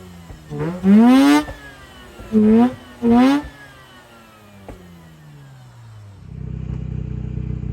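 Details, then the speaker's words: Mazda RX8 rotary revived after 2.5 years sitting, owner says not overheating: three quick clean rev blips rise and fall smoothly, then drop to a smooth even idle; healthy rotary revving. "oh boy that was exciting that was exciting you could definitely see the excitement it's so nice to hear this car being alive"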